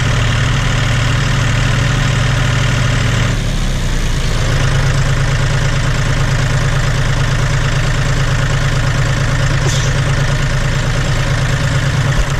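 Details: John Deere 5205 tractor diesel after a Stanadyne DB4327-5913 injection pump replacement: a steady, even idle clatter with a low, smooth throb and no misses or knocks. No leaks are seen, and it sounds really good.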